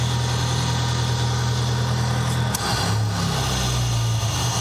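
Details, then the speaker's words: Nissan 200SX turbo at idle during turbo investigation, after a possible backfire through the intake; steady, low idle drone with a brief waver partway through, much quieter than before but not perfectly even. "All right, ZK was right. It's much quieter."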